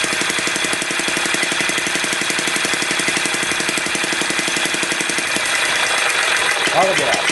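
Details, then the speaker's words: Hobby six-cycle model engine running: a sharp, rapid knock about four per second over a buzzing run; the owner suspects it is firing too late and plans to advance the spark. "Sall almost sounds like it's firing a little too late I'm gonna try to advance"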